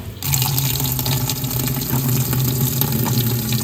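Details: RV washing machine, owner checking for a leak, standard wash on low water level, water fed by hose through a filter: steady even rush of water into the tub, no drips, hiss or spray; no water coming out, fill sounds normal.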